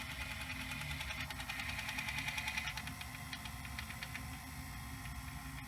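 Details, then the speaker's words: Sanyo VHR-H519 VHS VCR rewinding at end of tape: fast, uneven tinny rattling over the reel motor whir, source unknown; tape not being chewed. "not sure what that sound is coming from the tape what's making that rattly"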